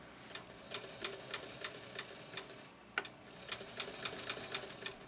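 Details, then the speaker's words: Singer 328K sewing machine made in Canada, running with the drag off: light, uneven dry clacking about three times a second, a clunky mechanism; the clunk is beyond the motor, between the balance wheel and the needle bar. "Does sound kind of clunky, doesn't it? Sounds like it was made in Great Britain, doesn't it?"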